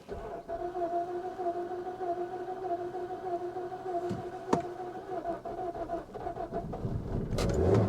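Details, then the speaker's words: 2010 Infiniti G37 (possibly S) manual, hail-damaged salvage auction car likely sitting a long while: several seconds of uneven, labored cranking with steady whirring before it finally catches; hard start, seemingly not trying to start at first, cause unconfirmed. "I give it one more try. She doesn't sound like she's trying to start at all."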